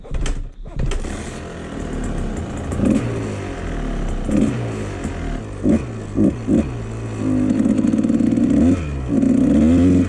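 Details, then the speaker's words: 1997 Kawasaki KDX220 two-stroke, PWK carb: blips and stumbles, revs die unevenly, really boggy and drowning out rich; runs better with fuel turned off, float height or worn needle suspected. "ning differently now. Really boggy. That's weird. Yeah, this is not good. Maybe it's starting to clear out now. It's still really boggy, man."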